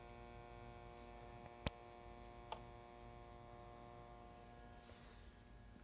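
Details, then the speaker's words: Superior Instrument Co. (SICO) Rapid tube tester Model 82a powered at about 145–147 V line: steady low transformer hum with buzzy edge and two sharp clicks; transformer buzzing hard from high line voltage, possibly square-wave output. "I want you to hear this Transformer um it's probably because of the square wave output"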